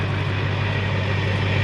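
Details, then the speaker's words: 2004.5 GMC 2500 HD LLY Duramax, 245,903 miles, deleted and tuned with a new CP3 fuel pressure regulator and lift pump, a little cold at about 45°F: deep, even diesel idle with a steady exhaust beat, no hunting or surging. Healthy idle. "no more L idle nice consistent exhaust note she's been running good"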